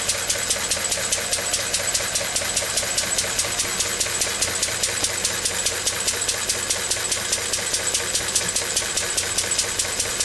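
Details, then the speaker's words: Lister D single-cylinder engine, not run for a few days, charging a battery: steady, even thump at about two and a half beats a second, working a little harder under the charging load; healthy running. "now we're charging the battery up can probably hear it so working a bit hard in there not for too"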